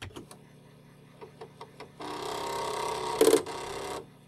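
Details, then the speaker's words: Commodore 1541 disk drive with head stuck at track 42 after loading Karateka: a few light ticks, then two seconds of fast machine-gun rattle as the head bangs its stop on initialize command, freeing the head and restoring the drive. "those lovely machine gun sounds my disc drive started working again"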